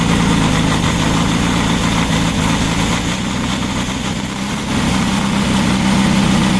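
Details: Freshly built VW Baja Bug flat-four on the stand, break-in oil with zinc additive, Super Dome distributor: steady even idle with low burble, no knocks or misses; running healthy.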